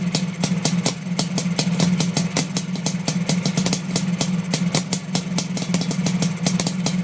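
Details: Suzuki GT500 two-stroke at idle: sharp popping beats that fall unevenly, with some firing strokes missing over a steady low burble. Misfire.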